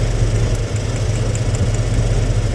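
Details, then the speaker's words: 1993 Ford F-150 on its third engine, power balance test with idle air control motor disconnected: deep, slightly uneven idle that stumbles and shudders as each plug wire is pulled, showing how much each cylinder contributes; weakest to be compression-checked. "You see the difference? The way the motor, he'll pull the plug wire off and kind of shutter. That's telling us that that cylinder is firing a little bit."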